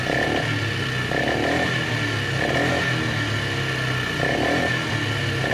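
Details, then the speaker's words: Polaris Magnum 325 ATV warming up at idle: high, uneven idle that stumbles and sputters about every 1.5 seconds; running very lean. The fault was not the carb or fuel pump but an air leak at the carb intake boot. "Right there. Lean, really lean. Really lean."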